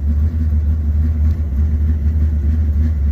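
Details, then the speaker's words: Camaro V8 driving home with the tank nearly dry: low uneven rumble at idle, beat sagging and surging irregularly, can't take throttle; engine stumbling from fuel starvation. "I just can't give it any fuel or any gas."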